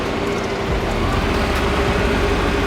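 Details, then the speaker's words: Mazda Miata after cleaning the idle air control valve, heater running: idle sags noticeably when the lights are switched on, previously down to about 250 rpm, then recovers to a steady run; idle dip under electrical load. "so we were having the issue of flicking up the lights and then the rpm would go down to about 250 and now the car is actually running oh there it is"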